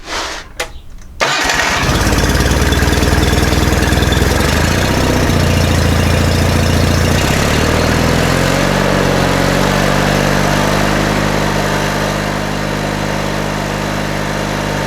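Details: John Deere 318 with Onan P218G twin, after carburetor cleaned and stuck needle valve freed, hand-choked: cranks, catches and settles into an even, steady twin-cylinder fast idle with no misses or knocks; running normally.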